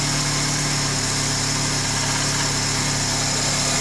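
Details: 2003 Honda Accord at steady idle: fine, constant rattly buzz in the engine bay over the hum; belt tensioner (recently replaced), power steering and alternator ruled out, owner suspects the water pump shaft bearing.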